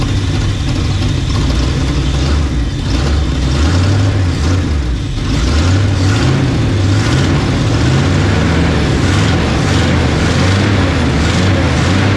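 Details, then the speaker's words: 1975 Chevy 4x4 with new spark plugs, running on its own fuel supply: loud raw uneven low idle rumble, unmuffled; bad exhaust leak, no exhaust on it, smoking, owner suspects no rings. "bad exhaust leak, I tell you. I knew when I first turned it over."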